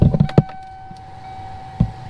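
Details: Vehicle blower fan with the relay shorted by a jumper, key on: a couple of sharp clicks, then a steady, even mid-pitched hum as the fan motor runs normally. This points to a faulty relay.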